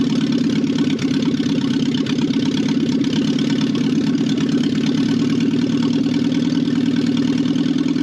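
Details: 1968 BMW 1800 barn find: a smooth, even idle with a steady mid-pitched hum and no knocks or misses. Normal idle; old, badly degraded gas was later found in the tank.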